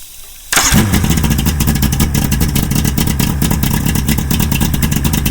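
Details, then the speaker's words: 1997 Evinrude Ocean Pro 90 HP 60° two-stroke outboard, boat harness unplugged and diagnostic key switch connected: fires instantly into an even rapid burble with no misses; motor fine, fault lies in boat harness/key switch or Fell Marine man-overboard bypass. "so yep nothing wrong with the motor something wrong with the harness in the boat"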